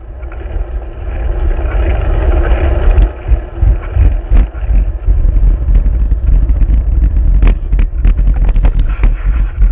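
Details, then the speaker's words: Motorcycle riding in rain after a puncture instantly emptied the rear tyre: engine drone with irregular rattling thumps from the back end as the rim rides on the tarmac. "It went down instant, but you'll hear the back end rattling as the rim's riding on the tarmac."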